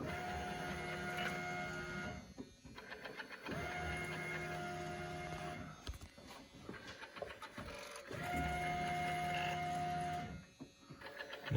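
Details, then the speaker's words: LS-swapped Fox Body with 5.3 LS V8 before first start, battery charged: electric fuel pump whirs in roughly two-second bursts, even pitch, no spraying, air purging through return; normal priming. "that's just the air version out of the uh return sounds better than that looks dry oh i charge the battery up too you mean the pump sounds more oh last time you could hear the squirting"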